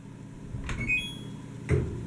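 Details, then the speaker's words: LG DLG2526W dryer on normal cycle, lint filter clean: beep on start button, then a soft dull thunk or two with no motor hum, drum not turning; spinning drum by hand sometimes starts it; motor or relay suspected, unconfirmed. "and then we go to press the magic start button did you hear that it was a little thunk"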